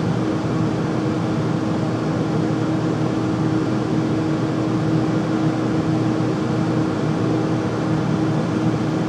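Loud, steady whooshing drone with a constant low hum through it, no knocks or rattles; furnace running abnormally loud, cause unclear.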